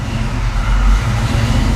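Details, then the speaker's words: 1993 Ford Mustang Foxbody with Holley Terminator X EFI, just fitted with a new throttle body replacing the stock one: low rumbling idle that wavers before evening out; unstable idle while the ECU relearns idle, before IAC adjustment. "There it goes. It's starting to learn now. I'll let it do its thing just so I can uh adjust the IEC."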